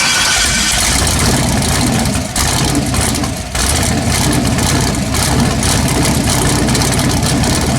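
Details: LS V8 swapped Chevy S10, fuel pressure only about 2 psi and float levels needing change: steady, even engine note with a smooth low rumble and no knocks or misses; runs well, though water is suspected in the fuel.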